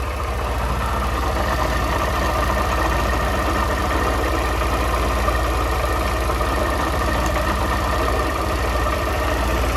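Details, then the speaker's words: Honda CG 160 Fan single-cylinder motorcycle at idle: loose, uneven knocking about three per second under the exhaust beat that changes when the clutch is pulled; clutch suspected, not confirmed, before a dealer visit. "e ele tá com esse barulho estranho rapaziada"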